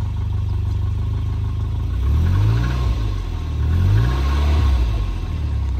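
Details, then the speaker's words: Volvo 940 Turbo bought unseen, started before a 300-mile drive in rainy, foggy weather: steady idle then two smooth throttle blips rising and falling cleanly with no knock or miss; light smoke thought to be condensation. "not bad that sounds good it's not smoking too bad looks like condensation"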